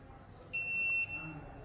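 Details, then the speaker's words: Inverter gives one sharp high half-second beep when the heater switch is turned on, cutting mains supply to the inverter, which returns when the heater is switched off; alarm on mains overvoltage from a loose neutral contact. "இந்த மாதிரி beep sound கேட்கும்போது இன்வெர்ட்டருக்கு வரக்கூடிய main supply நம்மளுக்கு of ஆகிடுது."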